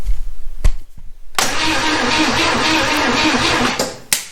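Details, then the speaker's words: 1971 Chevy Nova that sat for over 30 years, with carburetor cleaner sprayed in the carburetor and the coil wire not connected: starter churns steadily for a couple of seconds but it never fires; no spark. "nothing all right and maybe my carburetor cleaner isn't very good maybe starting fluid would be a lot better"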